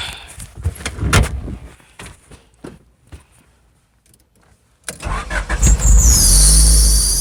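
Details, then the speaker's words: Honda Civic with a B20 engine, first start after Yonaka exhaust install: a sharp high-pitched squeal rises right after start; owner suspects the belt is too tight. An exhaust leak and a vacuum leak are also suspected. "in my belt my being little too tight what sound like a sonar pretty good"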